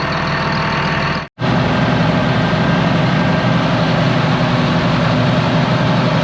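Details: Low-hour ex-US Army Caterpillar D6R bulldozer, revived after sitting inoperative, fluid topped slightly over full: deep, steady diesel rumble at idle settling to an even beat after a brief dropout; runs smoothly, zero blow-by noted, some hydraulic leaks.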